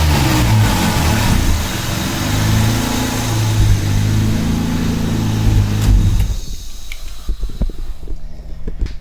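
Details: Car with a timing chain rattle being tracked down: engine revs up and settles with an even drone, no chain rattle on top, then shuts off cleanly; normal revving.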